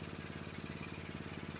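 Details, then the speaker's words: Honda HS724 snowblower single-cylinder engine idling after adjustment, tach reading about 2130 rpm (spec about 2140); quick, steady, even beat with no hunting or misses, normal idle. "That's where your idle should be on the 724."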